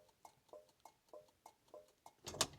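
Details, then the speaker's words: Rover P4 old-style indicator flasher unit, mounted behind a speaker grille: crisp, evenly spaced dry clicks about every third of a second, a normally working flasher. "I like the satisfying click of the old style flusher"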